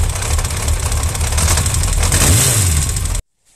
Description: Yamaha XJ 600 Kupplungskorb, Kupplung macht Geräusche. Zeige wo die Geräusche her kommen.